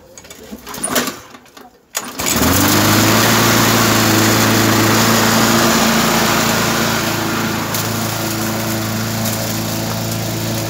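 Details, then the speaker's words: Briggs & Stratton 3.5 hp engine, warm, started without priming or full choke. Catches at once and settles into an even, steady beat with no misses; normal warm start and idle. "Uh it is kind of warm so I'm not gonna pump it or start it with the full start. I cut a little bit."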